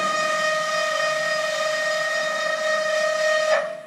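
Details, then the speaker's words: Haas VF-3 retrofit servo axis during tuning: a loud, steady high whine with ringing overtones as the motor holds position too tightly on encoder feedback, vibrating the ball screw and the machine frame. "That is the motor trying to hold so tight the position that will create vibrations on the whole uh ball screw, frame of the machine, all of that will vibrate with that motor holding trying to hold that position in with the encoder feedback"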